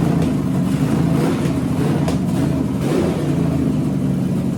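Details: 6-inch rodded 350 Chevy V8 (HQ Holden Kingswood project), run after fixing the MSD box earthing fault; deep rumble hunts and stumbles unevenly, struggling to hold idle; owner notes a couple of vacuum leaks.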